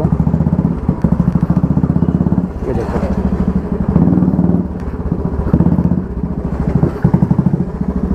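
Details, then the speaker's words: After the repair (EBS model rear wheel refitted with spacers), motorcycle ridden and braked sharply: steady single-cylinder thump, no hammering khat-khat knock from rear hub; drive coupling healthy. "कोई आवाज़ नहीं है। ऐसी बात, अब कहाँ से आवाज़ आएगी? देखो कोई आवाज़ नहीं है।"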